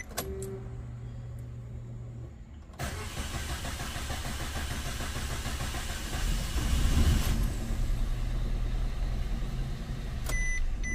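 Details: Maruti Suzuki Wagon R petrol engine, starting-delay problem for six months, worse after sitting about 20 minutes: starter grinds about four seconds before the engine catches; no fault codes on scan, cause unclear.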